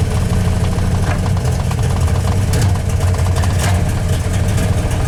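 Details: 1993 Dodge Dakota 318 V8 after NV3500 manual swap, third start in almost 4 weeks: uneven lumpy idle with irregular low thumps, shaking and occasional backfire pops; misfire suspected, cause unknown.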